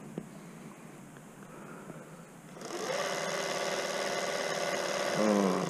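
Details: Bafang 1000W 48V mid-drive e-bike motor after replacing slipping nylon-cog internal one-way roller bearing in the second clutch, cover slightly open, throttle applied: quiet then even gear whir, no slipping, clicking or grinding; repaired and healthy.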